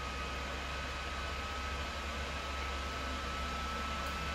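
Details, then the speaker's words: Early-model PS4 Pro running Modern Warfare under heavy load, original fan still fitted despite dusting and new thermal paste; steady rushing airflow with a constant thin whine near 1.3 kHz, fan spooling up loud like a jet engine. "not even entirely certain that that's at full tilt yet but even over here now it's to the point where you can hear it"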